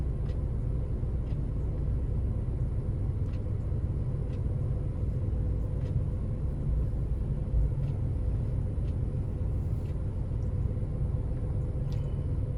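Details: 2006 Ford Focus engine after replacing the bad cylinder 3 ignition coil that set a P0303 misfire code: a deep, steady rumble with an even beat and no stumble or shake, now running smoothly.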